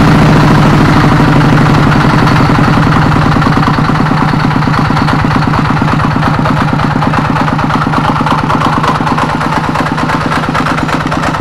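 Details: Kubota RD85DI2S single-cylinder diesel tractor engine, hand-cranked after repair of worn piston and bearings: steady, even thump at idle about three beats a second, no knock or stumble; normal idle.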